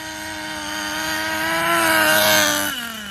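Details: Schumacher Menace nitro RC car on new tires, last of its nitro. High buzzing tone climbs, then sags as the engine struggles to hold revs at the top end; the high end needs tuning, and excess oil in the exhaust was ruled out. Poor running at high revs.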